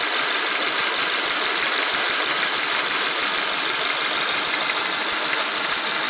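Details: Renault Megane with K4M petrol engine at idle: a light, irregular knock of about three per second that sometimes disappears for a second or two. Timing belt kit and dephaser pulley were replaced within 30k km. Owner suspects a hydraulic lifter and has added a tappet additive. Unconfirmed.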